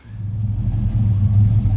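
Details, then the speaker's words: 1967 Chevrolet Caprice lowrider V8 after maintenance including oil change: deep, steady low rumble with even beat, no knocks or misses; normal idle. "She's sounding real good. Gonna check the levels now again."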